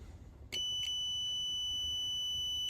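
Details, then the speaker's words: Jaguar XK8 V8 with a no-crank, no-start fault, fuse tested with a multimeter on continuity. A clean, unbroken beep of about two seconds and a zero reading mean the fuse is intact and not blown; owner suspects immobilizer/security mode. "which means it's good and it hasn't blown, right?"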